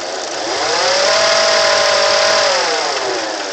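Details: 1988 Acura Legend engine making an unexplained noise: a clear whistling whine that climbs as the revs rise, holds, then drops away as they fall; the source is unclear.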